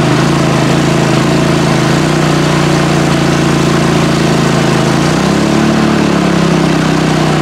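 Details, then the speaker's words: PowerSmart MB5040B 4400-watt generator hit with about 4500 W load: drone bogs down after five seconds but keeps running without stalling; overload light came on, neither 30 A nor 20 A breaker tripped. "interestingly enough the 30 aamp breaker didn't trip just like the 20 amp breaker didn't trip but the overload light did turn on"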